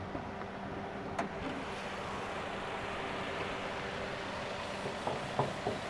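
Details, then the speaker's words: 2016 Daihatsu Terios X 1.5 manual, first owner, engine bay view: quiet, steady idle with even low hum and no knocks or rough patches, a few light clicks nearby; engine dry, sound normal and stable. "Nah, untuk mesinnya masih kering, suaranya masih normal, belum ada yang ngames-ngames ya teman-teman ya. Suaranya masih stabil."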